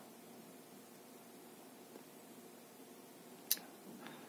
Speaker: Да, кстати, когда переключается с ночного режима на дневной, слышно, как она щелкает внутри, то есть оно, когда переключается на подсветку ночную, слышно, щелкает.